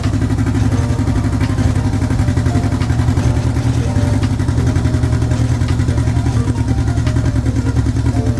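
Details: Turbo B-series Honda Civic EK hatch (GSR), first start after build, oil leaking from the VTEC solenoid: lumpy uneven idle with stumbling firing pulses that never smooth out.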